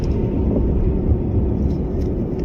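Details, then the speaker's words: Maruti Suzuki Alto 800 after clutch release bearing replacement (gearbox opened): driving with clutch pressed, steady low engine rumble, no release-bearing whir; noise previously heard when pressing clutch is now completely gone, gears shift well. "જે પહેલા clutch ઉપર પગ રાખતા અવાજ આવતો હતો, હવે એકદમ સાયલેન્ટ થઈ ગયું।"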